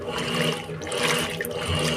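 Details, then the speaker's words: Electrolux washing machine after replacing a small worn bearing in the mechanism, full water level: steady sloshing and churning with a soft motor hum, no knocking or grinding; the loud agitation noise is gone and it agitates normally. "tá agitando antes ela tava fazendo esse barulho é na hora de agitar tava um barulhão bem forte aí ó acabou o barulhão esse barulhinho aí é o normal dela"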